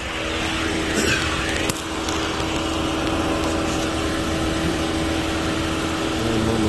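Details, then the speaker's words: Engine at idle, just started, 97,000 on the odometer, clean with no oil leaks: steady, even idle hum with no knocks or ticks over yard noise; engine sounds healthy, normal idle. "all right the engine sounds good looks good it's clean look only got 97 000 yeah it looks good"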